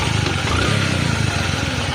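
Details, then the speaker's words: Bajaj Platina ES single-cylinder bike after replacing the stretched timing chain that caused engine knocking: steady, even idle putter, engine silent with no metallic knocking or rattle. "एकदम बिल्कुल engine silent है। कोई भी knocking नहीं कर रहा है।"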